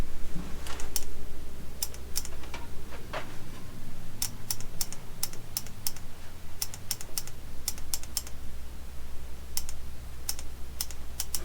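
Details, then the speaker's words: 1987 Suzuki Samurai with a previously seized engine and faulty wiring, while hooking positive to the coil: sharp irregular solenoid-like clicks, often paired, over a low hum, seemingly deep down near the starter; cause unknown. "It's like a solenoid clicking. Yeah, I hear it."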